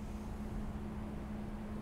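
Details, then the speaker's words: 2007 Toyota Yaris, 150,000 miles, misfire-like shaking at idle: very low lumpy idle under 300 rpm with a constant hum, near stalling; mechanic suspects an extremely dirty throttle body. "I'm suspecting an extremely dirty especially with $150 miles or an extremely dirty throttle body so let's open it up and take a look"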